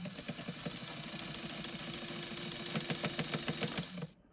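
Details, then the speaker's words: White model 1563 sewing machine running after cleaning: steady clatter of about three to four knocks a second, a mild in-between knock, less than before the plate was cleaned and refitted. "So, there's still kind of an in between a knocking noise, but it's not as knocking as it was before."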